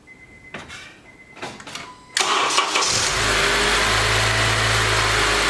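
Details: 2012 Honda Accord Crosstour K24 cold start after timing repair (cover pieces, chain guide, seized tensioner, VVT actuator, chain replaced; fixing cold-start rattle, P0341/P0171): a few clicks, engine catches and settles to steady even idle, no rattle; healthy cold start.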